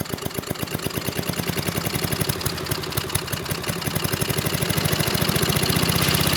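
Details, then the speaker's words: Discarded 1993 Little Wonder push leaf blower, 5 hp Briggs & Stratton flathead (model 135212-1216-E1) with little or no compression: uneven, chuffing single-cylinder beat struggling to gain speed; runs poorly but bottom end sounds good, compression seen blowing out the intake, likely the intake. "I did not expect the engine to start. You know, didn't run well, but it ran good enough to at least know that the bottom end sounds good."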